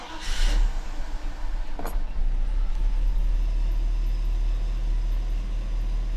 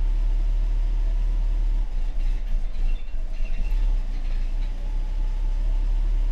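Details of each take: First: Mercedes W126 560SEC, hard-to-start fuel problem, after replacing fuel check valves: starter catches quickly, then steady even low idle with no misses; engine dislikes throttle being applied. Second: Mercedes-Benz W126 560SEC with a hard-starting fuel problem (check valves suspected), in-car at idle: low rumble falters and dips unevenly when the throttle is pressed, then recovers. Hesitation on acceleration.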